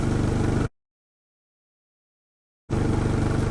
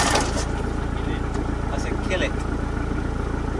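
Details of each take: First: Rebuilt turbo project vehicle just after its first start in about 8–9 weeks: a low, even idle pulse at about three beats a second. The old-school aircon cuts in and out, so the idle is not fully steady. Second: Truck being rebuilt after 8–9 weeks off the road, after a rebuild; first start attempt fails with steady cranking about three beats a second and no catch, then a pitch shift; injectors being cracked, possibly air in fuel; cranks but no start.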